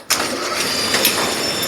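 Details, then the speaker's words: Brunswick A2 bowling pinsetter being serviced for a failed cycle solenoid (only cycled when plunger pushed up): drive motor plugged back in and switched on, loud steady rattling run with mechanical clatter while turning to 180 for solenoid gap adjustment; normal motor run. "let's plug our motor back in it's going to make some noise uh but we need to get to 180 so we can adjust this all right motor plugs in Gonna Get Loud"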